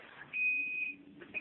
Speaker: You hear it beeping like crazy. If it ever beeps like crazy, that usually means a misalignment.